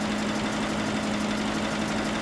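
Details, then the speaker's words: GMC Sierra 1500 pickup V8 with its replacement engine, just started, cylinders pre-lubed with transmission fluid and smoking: a steady idle with a light, fast tick, which the owners hope is lifters pumping up and will go away. "Hopefully the lifters will The new It'll fly it down. the new oil will."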